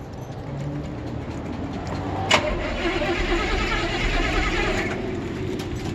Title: Old 1972 Chevy C10 truck Cold Start Hard Start